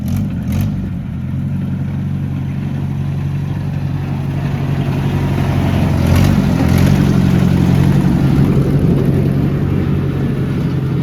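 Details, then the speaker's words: 1973 Oliver 504 windrower in road gear: the engine drone drifts up and down without throttle changes, revs hunting; the governor is thought to be a little sticky. "Just going to sit there and idle. Road gear. He says governor is a little bit uh probably a little bit sticky."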